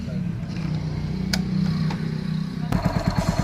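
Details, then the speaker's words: Hero Splendor single-cylinder motorcycle after timing chain replacement: low, even idle without rattle, then clean throttle blips; the heavy noise heard before the repair is gone. "तो आप लोग देख लीजिए engine का sound है बिल्कुल दोस्तों clear हो गया है, बहुत अच्छा साउंड हो गया है।"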